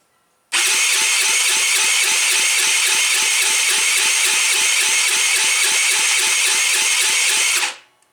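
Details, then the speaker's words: Tao Tao engine being revived, run without muffler, choked with spark confirmed; starter cranks steadily with even compression puffs about four a second for seven seconds but never fires. Owner suspects the valves may need adjusting. "Nothing. Whoops, look out. Let's cheat. Shoot a little starting fluid in there and see what happens in."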